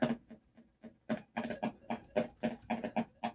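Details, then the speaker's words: Atari Millipede arcade PCB in game mode, customer's POKEY sound chips producing uneven, gritty chirps about four per second with a crackly edge instead of clean beeps; POKEYs suspected bad or poorly seated, no test-mode errors. "Boy. That sounds terrible. All right, is it his pokey that's doing that? Boy, that sounded bad, didn't it? Okay. So maybe both these pokies are bad or just not making good contact."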